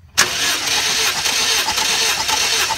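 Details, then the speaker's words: 2006-2011 Honda Civic four-cylinder with P0300/P0302/P0303 misfire codes after overheating, compression test with plugs out: even unbroken cranking; cylinder four over 180 psi, all four cylinders healthy, no blown head gasket or cracked head. "stop and look at that cylinder number four over 180 psi so we're good on our four cylinders for compression"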